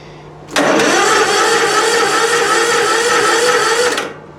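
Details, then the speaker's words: Weak 12V lead-acid battery, recovered by zapping and charging at 14.4 V, cranking a small engine without choke: sluggish but steady cranking drone that holds speed without tailing off or catching; slow crank from a weak battery. "up it's a slow crank but it's a crank well it I don't want to flood it so I'll choke it now and start it but it's it's holding speed it's not tailing off or anything"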